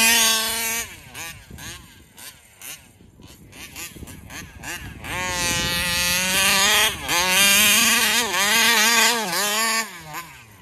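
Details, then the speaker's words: Taylor RC 35cc reed-valve two-stroke in the Punisher RC car, freshly installed, tuning at fairgrounds: high buzzy revs in repeated bursts waver and surge instead of holding clean at full throttle; flutter cause unclear, owner plans to swap carburetors. "I'm going to uh swap out carburetors is what I'm going to do next to try to get rid of that flutter it keeps fluttering"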